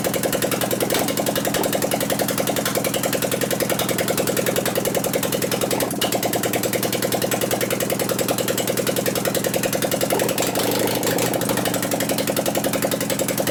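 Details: 2001 Gilroy Indian Chief V-twin race bike being rebuilt, run with no exhaust pipes: lumpy uneven beat with skipped pulses, about three a second, one cylinder barely firing; acts like it wants to hit but doesn't, ignition suspected.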